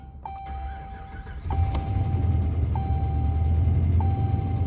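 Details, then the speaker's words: 2013 Dodge Ram 5.7 Hemi V8 after lifter and camshaft replacement, oil primed by cranking, weak battery: brief slow crank, then catches at once and settles to steady even idle, no knocks or ticking; sounds really good. "foreign the truck's been running for about 10 minutes now sounds really good sounds really good"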